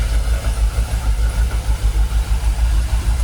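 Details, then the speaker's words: Jaguar XKR after 10 years dormant, fuel pressure holding 45 PSI: deep, even idle at about 800 RPM with no stumble, miss or rattle; engine idles smoothly, previously stalled after a few minutes. "What are we idling on? About 800 RPM. Actually, to be fair, sounds alright, doesn't it?"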